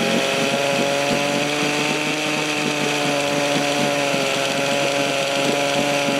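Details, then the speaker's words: 1972 Johnson Seahorse 6HP outboard (6R-72D), first start in 20 years after fresh plugs and fresh fuel: buzzy high-pitched two-stroke note with fairly even rhythm, no knocking or grinding; running normally. "well there you go fresh plugs that fresh gas and she'll fire off every time"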